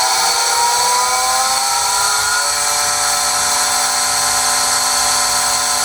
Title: Pool pump loud noise screeching Pentair SuperFlo VS 1.5 HP